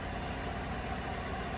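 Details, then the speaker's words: 2015 GMC Sierra 1500 Denali 6.2L V8 idling after a bent, broken No. 6 intake pushrod was replaced: a steady, even low rumble with no tapping and no misfires on any cylinder. "So it's running beautiful. No misfires on any cylinders."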